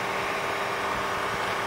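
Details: 12 V 30 A DC power supply: steady loud airy rush with constant hum underneath and no speed change from the oversized stock cooling fan, too loud for home use; owner replaced it with a larger, quieter fan.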